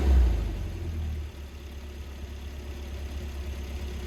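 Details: Volvo engine fires with a loud flare after fuel pump relay and 25 amp fuse connections were disturbed, then settles into a smooth, deep, steady idle with an even beat and no stumbles; normal idle.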